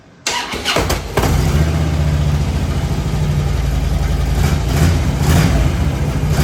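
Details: 2008 Harley-Davidson Road King FLHR after its failed fuel pump was replaced to cure a crank-no-start: brief starter whir, then the V-twin fires within a second into a steady, even idle with no misses. Normal idle.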